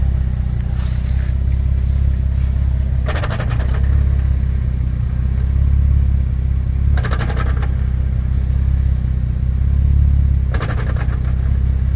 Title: clunking noise 350z